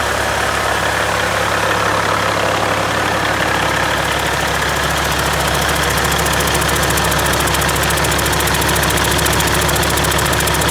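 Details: Caterpillar C-15 diesel, first start after a full overhaul: even idle with a smooth low rumble and light regular clatter, no knocks or vibration. Good oil pressure. Normal idle.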